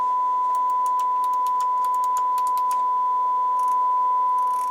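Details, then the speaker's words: Rotel RX-802 receiver after restoration, playing a 1 kHz test tone on speaker system one at about 24–26 W with the balance swept left and right: clean, steady tone with no hum or crackle; treble and bass working. "treble base everything's working"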